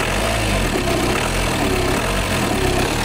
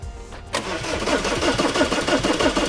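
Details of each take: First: Audi Q5 diesel that came in with a no-start, after replacing the fuel pump and its module: steady, even idle with a smooth low rumble and no knocks or misses; starting problem solved. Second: Diesel Audi Q5 towed in with starting problem, after replacing the fuel pump and its module: quick, even starter cranking at about five beats a second, not yet fired; afterwards it started and the problem was solved.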